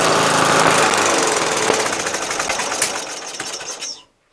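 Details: Murray LT widebody lawn tractor, 12.5HP Briggs flathead single; magneto kill wire disconnected, oil checked afterward; steady rapid popping, then slows and dies cleanly at shutoff; normal running.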